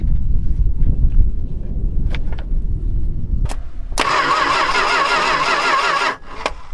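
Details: Long-neglected Dodge stepside truck with the ignition coil jumpered straight to the battery: low, ragged engine noise, then a few seconds of steady starter whirring that ends without the engine catching; turns over but won't fire.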